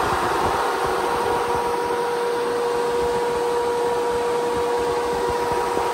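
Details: Replacement SPAL 13-inch brushless sealed-motor radiator fan for a Kawasaki KRX 1000, bench-tested on a desk and ramped up after the noisy 1500-mile factory fan: steady even whoosh, clean constant hum, no rubbing or ticking; healthy fan.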